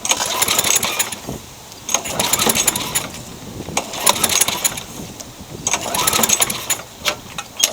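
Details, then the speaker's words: Craftsman mower with engine swapped in for the blown Tecumseh: uneven pull-cord bursts spin the engine but it never fires; no spark, later traced to a pinched coil wire and loose kill switch. "Trying again with the correct spark plug. Still nothing. I suspect it's grounding out somewhere, as bodged as this thing is."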